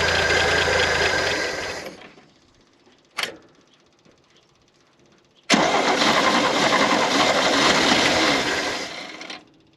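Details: 1971 International Harvester 1110 pickup, original AMC 232 inline six, first start after carb rebuild and tune-up, before timing set: catches and runs at even fast beat, stops, restarts cleanly; alternator bearings seem fine, normal running after start.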